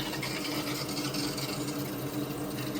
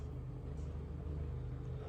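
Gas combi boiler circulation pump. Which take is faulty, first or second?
second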